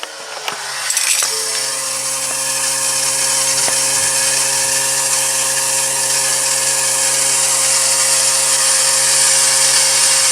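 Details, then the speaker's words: 2017 Ford Super Duty, key cycled to prime after draining the fuel separator: steady high hiss with faint lift pump hum as air is squeezed out and the separator refills; normal fuel system priming, repeated several times. "so you can probably hear that it's filling up you could probably hear with my camera's picking up on this that air being squeezed out of the system"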